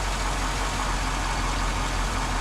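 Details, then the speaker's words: 2005 Chevrolet Silverado 1500 5.3L V8 idling just after a new alternator install, 14.4 V at alternator and 14.3 V at battery: smooth, even idle with steady low rumble, no misses, ticks or whine; normal. "Voltage on the dash. 144. Good. Nice and steady."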